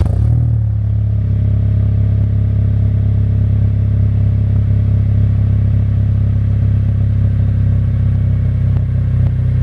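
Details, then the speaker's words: Acura RSX Type S with a new Spec D stainless full catback exhaust: deep, smooth low rumble swelling evenly from low rpm up to 5,000 rpm (VTEC not reached), with no rasp, ticking or leak hiss; healthy. "So that was like low RPMs, and then the highest I went there was 5K. I did not hit VTEC."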